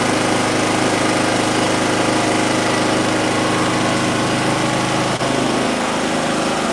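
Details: Small mower engine with coil air gap at 0.054 in after flooding from failed starts at 0.055, inline spark tester fitted: runs hard and steady, then one sharp pop around five seconds; backfire from unburnt fuel after flooding.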